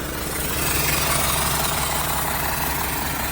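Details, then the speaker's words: 1975 Mack FR700 8x4 twin-steer on its first start in many years, with oil pressure up: even, steady diesel rumble at idle with no knocks or misses. Normal diesel idle. "Running nicely there."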